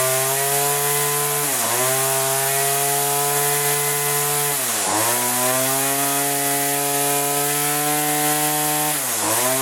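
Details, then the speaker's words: Weedeater two-stroke after cleaning carbon-clogged spark arrestor screen, while setting low and high carburetor screws: crisp steady high-pitch drone, dipping briefly and recovering cleanly on each blip; already sounds better, normal running. "pump it break it already sounds better take that back"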